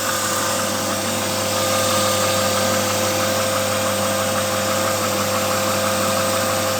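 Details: BMW 323i E36 at idle. A constant high whine carries a faint, uneven ticking or nailing of about three per second on top; the owner asks what the whine and clatter could be, source unknown.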